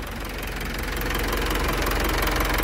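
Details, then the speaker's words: 2018 Mitsubishi Triton HDX 4x4 diesel, 120,325 km, at working temperature (gauge 3/4), revs easily past 2000 rpm: even, smooth clatter, no misfire, almost no blow-by; normal healthy idle. "mesin sangat rata halus tidak pincang low by gas atau ngobosnya nyaris tidak ada"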